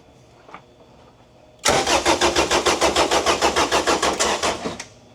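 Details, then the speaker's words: 1992 Honda Civic VX with Jackson Racing supercharged B18C VTEC engine, first crank since removal, started via screwdriver with distributor signal confirmed: starter spins engine evenly at about three compressions a second, cranking cleanly and freely; normal cranking. "That uh that sounds pretty good. It's the first time this engine's cranked over since before we pulled it out of the car."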